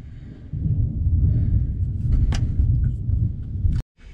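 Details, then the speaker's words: Ford Ranger, stock muffler leaking through its top side, hidden by the frame; deep, loud droning roar under the truck, far heavier than stock, before the muffler replacement. "but I did notice that when I was back here by the muffler, I felt a breeze. As it turned out, I just didn't look high enough."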